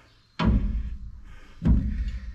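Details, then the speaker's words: GM 10-bolt rear end during a rebuild for pinion bearing and crush sleeve replacement after over-crushing: two heavy metal clunks as the pinion is rocked by hand, showing far too much ring and pinion backlash. "that's what we call the backlash it's the space in between the pinion gear which this is attached to or part of and the ring gear which makes the tires go around this is massive not supposed to be anywhere close to that"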